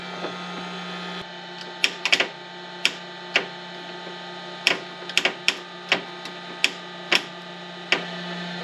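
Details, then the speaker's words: Foxbody Ford Mustang that won't crank, starter jumped directly: sharp irregular single clicks over a faint hum with no cranking. The solenoid engages but the starter motor doesn't turn. "right so it sounds like the solenoid's working but the motor's not"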